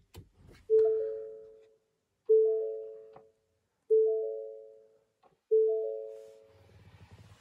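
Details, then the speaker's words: 2019 Ford Ranger Lariat cab warning chime, triggered by pressing a button: four clean bell-like dings about every 1.5 seconds, each fading evenly. The chime is working normally. "so without further ado we'll go in just press the button here and you'll hear the warning chime there it goes"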